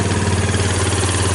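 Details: 2000 Kawasaki Lakota ATV after the broken fuse holder behind intermittent stalling was taped up: a low, steady thrum with an even pulse and no misses. The engine holds a smooth idle, though the owner notes it smokes and burns oil.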